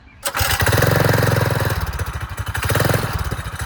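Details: Mega Moto 212 minibike, stock 196cc engine with governor delete, Hot cam, billet rod, 22mm Mikuni-style carb, header and pit-bike muffler: fires first pull, steady thump, picks up cleanly on throttle; small single runs healthy and fairly quiet.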